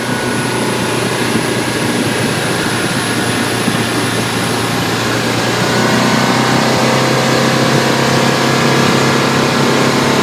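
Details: 2012 Bayliner 175BR boat: thin, piercing high-pitched squeal above the engine's steady drone with the hatch closed, dropping out midway then returning.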